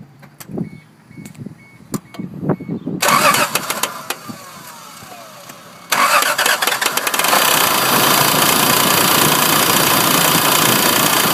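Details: 1994 Honda Passport at start and idle: light quick ticking over the settling idle after crank and catch; owner suspects the timing belt tensioner and plans to replace it, unconfirmed.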